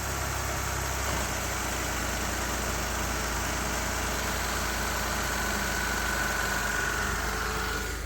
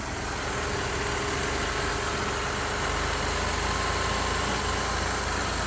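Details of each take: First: 2006 Ford Escape 3.0 V6 after replacing both valve cover gaskets and reconnecting a loose vacuum line under the intake: steady even idle with no hiss, stumble or knock. Normal idle. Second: 2006 Ford Escape 3.0 V6 petrol, first start after replacing both valve cover gaskets and refitting the intake: steady hiss and faint whistle at idle from a vacuum leak, found as a vacuum line left off under the intake.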